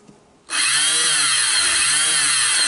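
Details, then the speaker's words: Barn-find Honda TRX250 ATV parts donor, engine not locked: electric starter given power spins with a high free whine but doesn't turn the engine; owner suspects starter gears missing; starter spinning without engaging. "and round it goes I think somebody stole the gears out of it"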